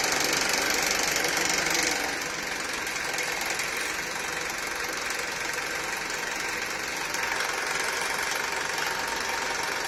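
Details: Honda Accord with a K24 engine at steady idle: a fast, fairly even metallic rattle of about four per second above the engine note. The engine rattle's source has not been pinned down.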